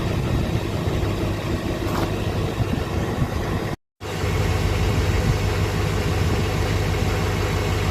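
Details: 2006 Chevy Silverado LBZ Duramax diesel with DSP5 switch and tune, original 3.5-in exhaust before 5-in swap, cold start after sitting overnight in the 20s °F (upper 50s now): even steady low clatter and rumble, no misses or knocks; normal cold start idle.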